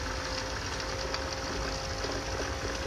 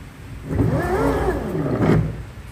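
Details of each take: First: Bajaj Chetak electric scooter after the noisy rear drive motor was replaced: a quiet, steady, faint whine with no grinding or harsh rasp under background hiss. The earlier noise is fully gone and the motor sounds smooth and healthy. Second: Bajaj Chetak electric scooter rear drive motor before repair, running unloaded: the whir swells and falls with speed, carrying an uneven, harsh growl over the tone that is louder when ridden. The drive motor itself is faulty and was later replaced.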